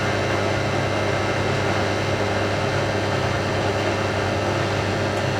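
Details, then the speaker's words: Hotpoint 9530 Electronic 1000 Plus washing machine, after repair (burnt neutral wire on mains lead replaced), final spin with twin bedding load: steady, even motor drone rising with drum speed, no thumping or grinding; smooth, healthy normal spin. "I'm amazed. I'm amazed at how smooth that is."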